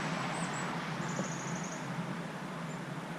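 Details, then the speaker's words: Chinese-made clone of a 12 V diesel truck bunk heater in a portable toolbox, just after shutdown: fan keeps running on very low speed, steady soft whirring hum with no rattle; normal cool-down run. "but it'll just continue to run now on a really low fan speed for the next little bit"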